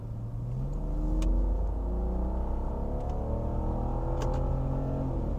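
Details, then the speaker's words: Warmed-up 2001 BMW E46 330i automatic under full throttle from second gear to about 90; engine pitch climbs smoothly and evenly with no misses or hesitation, smooth as butter and pulls really well; normal acceleration. "smooth as butter accelerates and pulls really good"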